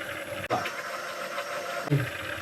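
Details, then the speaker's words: BMW K100 café racer, old fuel pump tested off the engine: steady thin high whine over hissing rush; noisy aftermarket fuel pump whine. "He said he bought a cheap AliExpress one and it was very loud. I could hear it while I was riding."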